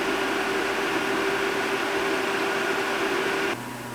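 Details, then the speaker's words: ASUS ROG Strix RTX 2080 stock fans at full speed before Noctua NF-A9x14 swap: loud steady rushing airflow with constant hum, then abrupt drop to quieter level; louder but faster than the Noctuas. "As you can probably hear, at full speed the stock fans are way louder, but that's to be expected since they are also way faster."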